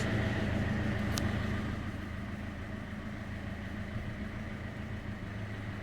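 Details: Peugeot Expert electro-hydraulic power steering, electric-motor-driven pump, engine idling at full steering lock drawing nearly 90 A (faulty pump peaked at 20 A): steady low pump hum, no whine or grinding; normal power steering pump operation.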